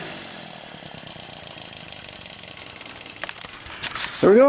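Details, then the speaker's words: Kerosene torpedo heater, about seven years old, serviced after hard starting last year caused by fuel left in over winter. Steady even burner and fan roar, no sputter or surging: firing and running normally. "let's see what we got going on will it be successful let's find out ok as you see it's buzzing"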